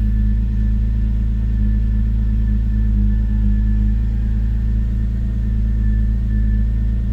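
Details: BMW E93 with a rough idle, warming up to temperature: a low idle rumble with a slightly uneven, lumpy beat that slowly evens out. The owner suspects the idle air control valve or an O2 sensor; not confirmed.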